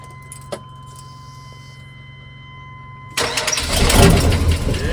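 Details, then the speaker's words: 2002 Holiday Rambler Vacationer RV with Chevy big-block gas engine, sat three years, first start after fuel pump replacement; quiet, brief crank, catches near three seconds into strong steady rumble; normal start. "yeah man yeah yeah yes sir listen to that Chevy big block perk"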